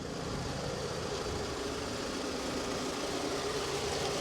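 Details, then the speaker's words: 2007 Toyota RAV4 with 180K miles and a salvage title, idling during an auction-lot walk-around; steady, even idle with a smooth hum and no knocks, ticks or stumbles; sounds pretty decent, the normal idle it's supposed to have. "this is an insurance sounds pretty decent too sounds like supposed to"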